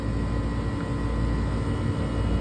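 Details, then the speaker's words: Walk-in freezer condensing unit restarted at the breaker, kicked out of defrost: a steady low hum with even fan rush and no knocking or rattling. Sight glass looks good, compressor sounds good, fans fine; running normally. "We got a good looking sight glass. Compressor sounds good, fans look goo"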